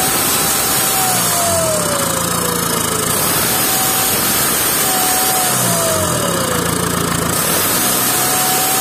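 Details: VW 2.0 TDI BKP 140hp diesel with power loss and stuck turbo geometry, idling after a suspected blocked part was removed. A clear whine repeatedly drops from high to mid pitch, cause unconfirmed. Geometry cleaning did not fix it; a new turbo is needed.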